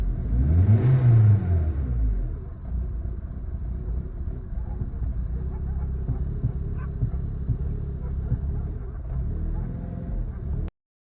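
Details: Hyundai Accent petrol engine blips then settles into an uneven, lumpy rough idle with occasional backfiring pops; spark plugs, injectors, plug wires (owner thinks) and mass air sensor already replaced, cause unknown.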